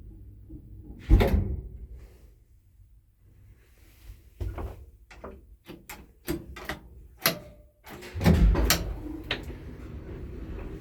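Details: Mid-1970s Daka traction lift, 10 floors, no inner doors: irregular clunks and bangs with sharp knocks and a faint hum between them as the car travels; strange running noises, source unclear.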